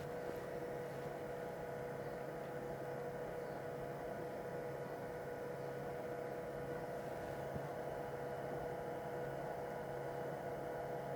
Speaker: now we're going into the brewing so I'm going to watch that scale intently and I'm going to press stop that same button when the scale reads about 35 grams